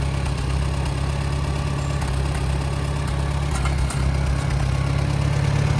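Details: A 1961 Farmall 140 with an added magneto, new plugs and plug wires, and a muffler from a Super A idles with an even, low-pitched, steady beat and no knocks, misses or rattles; it runs healthy.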